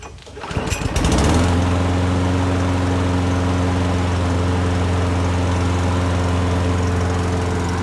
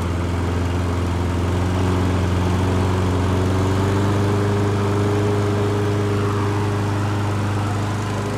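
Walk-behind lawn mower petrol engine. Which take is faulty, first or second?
first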